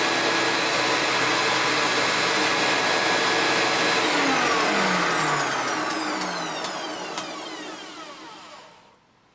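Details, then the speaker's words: Hoover Turbopower 3 U2876 upright vacuum after full refurbishment with new brush roll bearings and oiled top motor bearing (Antec motor): even steady roar with no rattle or squeal, then switch-off and smooth wind-down; old noise gone, healthy. "Beautiful. Those new brush roll bearings really have shut that noise up, and I also put a fair drop of oil in the top bearing of the motor, because you can't really take the motors apart on these."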